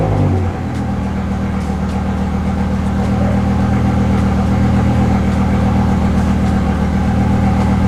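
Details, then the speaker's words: BMW E63 M6 with S85 V10, nearly 20 years old, restarted after clearing a cylinder 8 misfire code: lumpy, uneven stumble at idle under the steady drone; still misfiring, traced to a failed ignition coil. "I'm going to clear it. Let's start it. Still misfiring."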